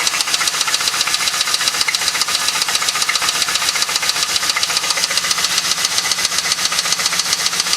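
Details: LS1 V8 heard since the night the car was bought: steady, even knock about 220 a minute riding over idle, loud against the engine note; bottom-end knock, spun bearing suspected.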